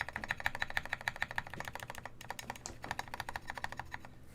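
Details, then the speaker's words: Baka60 custom keyboard: steady keystrokes about two a second, each with a bright scratchy clack from the stabilizer housings rubbing, not ticking; more lube may fix it. "that's that's not ticking that's the housing of the stabilizers um just like rubbing against each other that's more extreme than i'm ever i'm used to"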